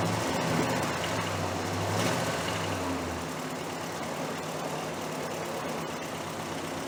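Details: 1968 Chrysler 300 with a 440 V8 and a replacement used carburetor, after a loose spark plug wire was reconnected. A deep rumble settles into a steadier idle after the first few seconds with no obvious miss. It runs better now on all 8 cylinders: normal idle.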